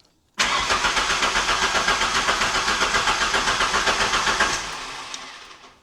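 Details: 1991 Ford Ranger 2.3 four-cylinder with replaced coil packs, ICM, fuel pump and ECU, new timing belt not yet timed, crank sensor refitted: steady starter cranking about four beats a second for five seconds, never catching; crank no start, crank sensor fault.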